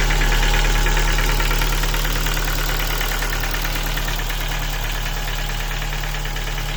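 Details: Ford Focus 2 with 1.6 engine at idle: sharp, even knock at about 220 beats a minute over the idle, attributed to broken piston pins.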